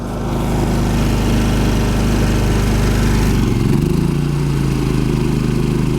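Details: Champion 3500 dual-fuel inverter generator in eco mode powering a travel trailer: steady, even drone that dips slightly in pitch about 3.5 seconds in as the electric hot water heater engages, then holds smoothly; healthy.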